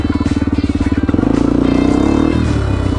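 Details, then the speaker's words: 2001 Honda XR250R riding under load, warm after an hour: single-cylinder pulses quicken with throttle, faint squeaky chirp on exhaust; owner suspects compression leak at gasket/valve guide, no power loss noticed. "of makes this chirp under load. It's like a funny squeaky sound."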